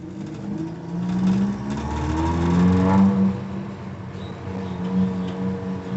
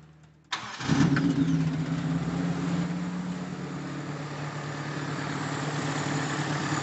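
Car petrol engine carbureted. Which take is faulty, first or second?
second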